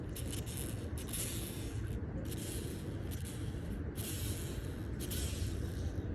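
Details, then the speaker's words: BMW E46 belt-drive idler pulley by the alternator, removed and hand-spun: dry rough rasping swelling and fading with each spin; worn, cracked idler bearing, which with the failed tensioner shredded the belts. "here's The Idler pulley that goes right here in the alternator and as you can see it's worn out look in there you can see the nice crack and you can hear how it"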